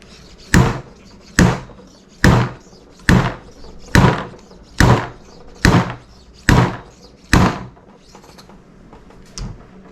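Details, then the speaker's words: 2014 Honda CBR650F fork seal replacement, driving the new 41 mm seal in with a seal driver: steady sharp hits about once a second, dull while the seal moves, then higher and crisper once it bottoms out and seats. "again you kind of hear that change in noise when it's when the seal is moving it's kind of got a dull hit whenever you're driving it down but once it seats all the way and it bottoms out the noise kind of comes in at a much higher sharper"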